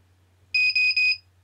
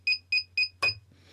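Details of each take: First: Naze32 flight controller buzzer at boot with vBat voltage scale set back to 110: three short even high beeps then quiet, no pulsing low-voltage alarm; normal startup. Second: Naze32 flight controller with buzzer configured in Cleanflight; the beeper mode is assigned to a transmitter switch, which is flicked on. Sharp high-pitched beeps about four a second. Lost-model alarm sounding.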